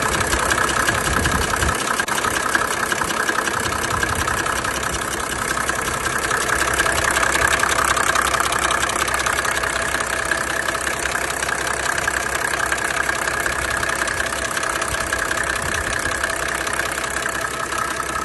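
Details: 1987 Mercedes 300D with OM603 diesel has a loud, steady knocking and tapping at idle, about three beats a second, over the clatter. The owner fears the engine is shot, but it was still daily-driven two years later.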